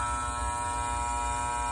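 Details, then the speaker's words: Air conditioner outdoor unit: loud steady electrical buzz and harsh hum from the contactor, caused by pitted contact pads pulsing the current; pressing the contactor button quiets it. "can you hear that sucker that buzzing noise that's all coming from this contactor here"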